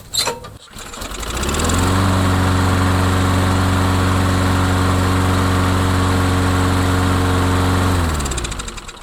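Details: Craftsman mower after repair of a no-run complaint: fires after a brief crank, settles into a steady, even low drone about four beats a second, then shuts down cleanly; healthy.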